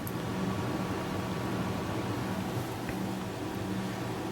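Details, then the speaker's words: Gaming PC after hardware upgrades, listened to with most case fans unplugged: quiet steady airy whoosh with faint high hum, no pitch change, louder than imagined; the front fans seem noisiest, some noise escaping through an open drive bay. "Not as quiet as I would have originally imagined. Yeah. Fair enough. Can't really tell what's making the most noise, really. These front fans sure aren't quiet, really."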